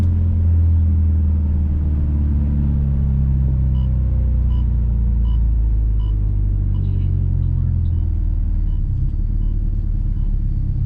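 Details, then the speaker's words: Subaru WRX STI after correcting a moving passenger-side Kartboy solid rear end link on a Faction Fab 22mm adjustable rear sway bar: driving over bumps and train tracks gives only steady low road rumble, no popping or clunking; suspension clunk fixed. "I believe we have our problem fixed I've not heard any of the popping or any of the issues that I heard before"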